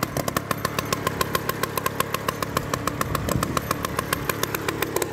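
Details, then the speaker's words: Solex 1400 moped from 1959, fully overhauled, just started, idling to warm up: crisp, even two-stroke putter at about 214 beats a minute, no misses or rattles; healthy warm-up idle. "Donc, je vais déjà le démarrer, relever le moteur et le faire tourner au ralenti, histoire de vous montrer un peu l'éclairage et tout."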